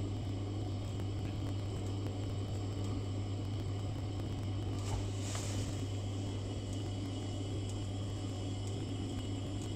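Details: Glow-worm boiler, previous engineer had left the gas off: steady low fan hum with faint repeated spark ticks, no burner whoosh; pilot sparks weakly and fails to light, gas valve next to check.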